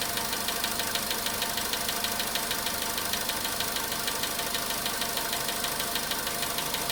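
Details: VW Polo sedan, cold start at idle: a sharp, regular ticking knock of about two a second, steady throughout. The knock reportedly fades after about 4 minutes 40 seconds, near 55 degrees. Source unknown.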